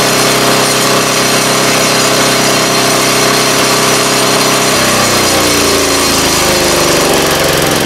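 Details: 3.5 HP Tecumseh engine after tuning the main jet screw, driving a wood chipper. A loud, steady drone holds speed while the chipper chews wood, with no surging or hunting. Normal running under load.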